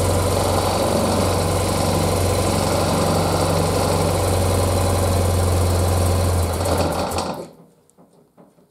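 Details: 1976 BMW R100S airhead boxer twin, dealer-rebuilt 20 years ago and stored unrun, carbs untouched and untuned, cold, first run: steady, even low thrum at about four beats a second holds smoothly for seven seconds, then shuts off cleanly; sound idle.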